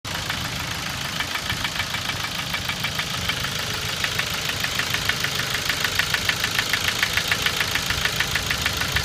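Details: 2006 Ford Focus 1.6 100 hp automatic at idle: sharp regular ticking knock at camshaft frequency (about 400/min) over smooth idle, vanishing above 1500 rpm; owner suspects camshaft knocking in its bed, or piston pin oil starvation or piston slap; unchanged after 90,000 km.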